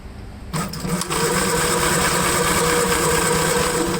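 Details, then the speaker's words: 1954 Gravely model LI tractor with magneto ignition, no fuel flow issue: starter churns steadily but never fires; no spark seen, so the magneto must come off to clean the points. "don't see a lick of spark so the first thing we're gonna have to do i guess is take out the um we'll have to take the magneto off and have to take it apart and clean the points"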